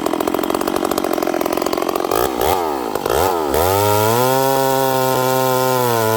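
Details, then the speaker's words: Stihl 038 Magnum chainsaw, long parked, with fitted Stihl clutch springs possibly from an 044: revs up crisply, then drops back to a heavy, burbling, loaded idle; leaning it out made it too lean with a stumble off idle. Rich running on return to idle. "It's revving, but listen to how it comes back down idle. It sounds really rich."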